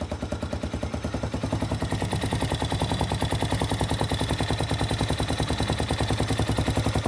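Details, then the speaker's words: Spark SP250 motorcycle with 166FMM Loncin RE250 single-cylinder engine, just after valve clearance adjustment (0.05/0.06 feeler gauges): crisp, even thumping with no ticking or clatter. Normal idle. "Все зібрав, все працює. Клапани з поршнем не зустрілись. Я считаю, це успех."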